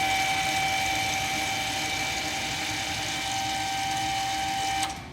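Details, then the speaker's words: Volvo XC60 with over 300,000 km, rear parking brake put in service mode by computer: steady high electric motor whine for about five seconds, then stops; motor retracting the caliper piston normally over old pads. "So when I enter the service mode right here, we should hear the electrical motors kick in, so let's see."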